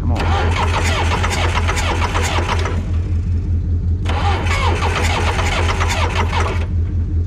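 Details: Two-wheel-drive John Deere backhoe diesel, ether sprayed into intake: loud starter cranking in steady chug, two long bursts with a pause, never catches; won't start, cause unconfirmed, whether it's getting fire in question.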